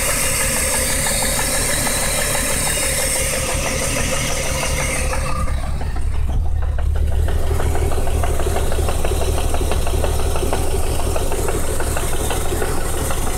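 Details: BMW 328is M52 with S52 (M3) cams swapped in, timed using tools and online guides: petrol six idles with a loose, uneven knock about three a second; owner unsure whether cam timing is off, and the knock's cause is unknown.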